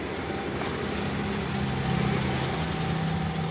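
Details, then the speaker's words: 1995 Daihatsu Zebra Espass S91, 1300 cc, contact-point (platina) ignition not adjusted in a long time, just warmed up: normal warm idle around 900 rpm, smooth even low hum with no knocks, misses or hunting. "idle di angka 900-an RPM masih platina terakhir nyetel enggak tahu kapan sudah lama teman-teman"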